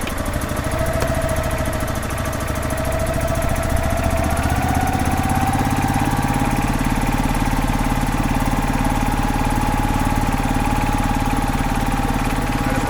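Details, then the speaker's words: 2005 Club Car Precedent gas golf cart, revived after about 5 years sitting, run slowly under the seat after adding just over a gallon of fuel to prime the fuel system. Steady single-cylinder putter, about three and a half beats a second, pitch settling slightly higher; runs clean. "here it goes all right there we go oh it's a beautiful thing it's great when everything works like it's supposed to"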